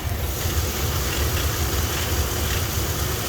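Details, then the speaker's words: 2000 Dodge Ram Van 3500, 5.9L Magnum V8, automatic, about 138,000 miles, check engine light on, just started: low, lumpy, loping idle with the engine shaking; also loses power at 35 mph, owner suspects fuel pump; rough low idle. "The engine, everything's just shaking because it's so low idle. It's running, but it doesn't want to."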